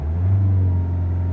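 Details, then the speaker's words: 2005 Land Rover Freelander TD4 in limp mode, code P1260, in neutral at full throttle: deep steady diesel drone capped flat with no boost, faint turbo spooling. "full throttle stops there and if there is no power really there is no boost I can hear the to look kind of spooling"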